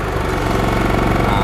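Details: TDR inverter generator with an eco mode that automatically raises rpm under high load: a loud, steady, even thrum as the small engine holds speed under load with no knock or miss. The generator runs normally.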